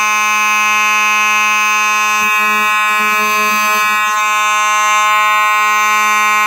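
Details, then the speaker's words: Simplex 4903-9219 mechanical horn strobe, horn and strobe together: very loud, steady buzzing hum at a fixed pitch, continuous without a break; the horn strobe operates normally. "that's very loud it's a good thing I had hearing protection on because these things may blow your ears out because these are really loud horn strobes"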